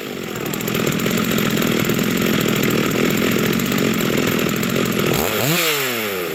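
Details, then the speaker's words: Rebuilt vintage Stihl 036 chainsaw with aftermarket Meteor piston and cylinder, new crank bearings and seals, new muffler and clutch, rebuilt OEM carb; warming up after first start, even steady buzz then one clean rev up and down; healthy. "wow that's awesome she runs so yeah we'll just let her let her warm up for a minute call it good for now"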